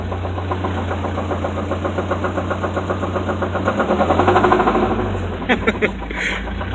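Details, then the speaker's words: Car being driven on the road very low on oil: heavy steady knocking about four per second pounding through the engine; suspected rod knock, not confirmed: engine knock while driving. "that awkward moment when you hear a knock, so you turn the radio up so you don't hear it. And yet even that sounds like shit."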